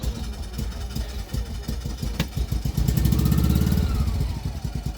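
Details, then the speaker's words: Isetta single-cylinder at start-up, throttle assisted: uneven lumpy putting swelling and sagging with throttle, barely running before it catches. "got to help her a little bit I think once it gets going here it'll run what do you think still yeah there we go so she sounds nice"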